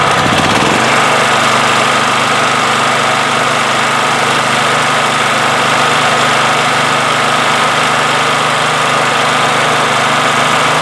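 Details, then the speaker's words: 1997 Honda EB5000 generator on a cheap non-OEM carburetor, low idle in auto mode, adjusted by restricting flow. Constant, even drone with no rise and fall; it used to surge and now idles steadily without hunting, normal. "uh you know i again it used to surge a little bit now it doesn't surge at all just restricting the flow so right now that's normal"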